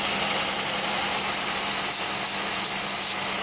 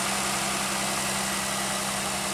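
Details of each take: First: 2001 Pontiac Aztek GT, rebuilt engine, at idle: piercing constant-pitch high whistle; a vacuum leak traced to the upper intake plenum gasket area. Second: 2001 Pontiac Aztek GT after rebuild, idling once the high-pitched noise was traced to three under-tightened bolts: even, steady idle with a constant low hum, no whistle or hunting, shaking less though a misfire code remains.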